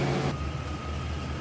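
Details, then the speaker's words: 1990 Cadillac Brougham, 5-liter V8, automatic with overdrive, 55,991 miles, warming up, hood open: even, steady low rumble with no misses, knocks or ticks; smooth runner, normal idle. "And here it is, 5-liter V8, and it is a smooth runner."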